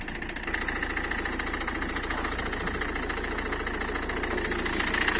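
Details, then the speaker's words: Citroën C5 2.0 HDi diesel at idle: a steady knock of about three or four per second from the front right, near the wheel. It was suspected to be the high-pressure fuel pump but is actually the crankshaft damper pulley breaking up. "хочу сразу сказать что проблема данного стука это не насос высокого давления проблема в эфирном шкиве коленчатого вала"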